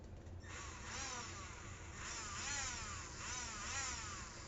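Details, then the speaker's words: Used Traxxas Rustler RC truck, steering fine: high electric motor whine swells and falls in short throttle bursts with no drive to the wheels; owner suspects spur gear or transmission problem. "We have no drive wheels, so let's take a look and see what we can hear, what the problem might be."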